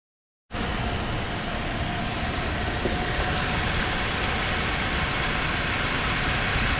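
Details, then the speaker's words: Crash-damaged Mercedes-Benz C200 engine: catches and settles into a smooth, even run with no knocking, ticking or misses; engine sounds good. "Engine sounds good."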